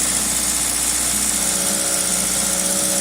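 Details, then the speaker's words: 2000 Toyota Celica GTS, 2ZZ engine, warm at 90 °C coolant, throttle cable disconnected: fast, steady idle at 1800 RPM, far above normal; extra air getting in, traced to a sticking idle air control valve. "okay we're now up to operating temperature and you can see the engine is revving pretty high no throttle the throttle cable is disconnected"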